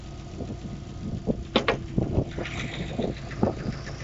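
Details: Subaru Forester SF5 EJ205, warm idle, after hard 0–150 km/h acceleration the day before: irregular sharp knocks about twice per second from the pulley side, rough running; owner suspects the timing belt hydraulic tensioner, before repair.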